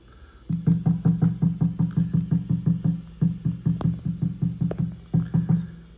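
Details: National HRO-500 HF oscillator tuning capacitor, heard on an RTL-SDR in narrowband FM with the VFO near 9 MHz. Tapping gives hollow ringing thumps about three per second. Finger pressure steadies it; something on the capacitor is loose, causing microphonics and lost sync lock.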